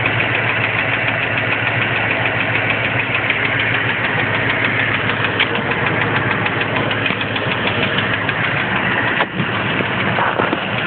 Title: Lifter ticking?